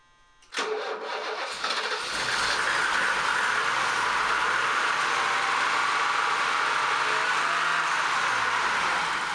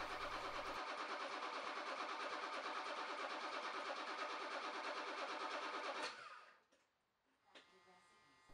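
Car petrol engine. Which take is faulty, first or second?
second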